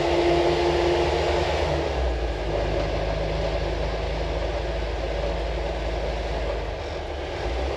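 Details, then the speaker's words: Restored Peugeot P4 army jeep diesel on road drive with civilian tyres, soundproofing under the bonnet and brake servo vacuum leak fixed: steady even drone under road noise, no knocks or rattles, smooth pull while cruising. Normal running while driving. "so this is one of the quietest p4s I've ever driven we've obviously got civvy tires on there and we put some um uh uh soundproofing under the Bonnet which made it a great difference but that engine is absolutely sweet"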